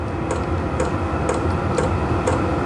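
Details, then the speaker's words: Vevor portable diesel heater on the lowest temperature setting: sharp clicks from the diesel dosing pump about twice a second over a steady fan hum. This is normal; the owner says all such pumps do it. "the only thing is that Bloody click click click of the diesel pump they all do it apparently there is a way around that"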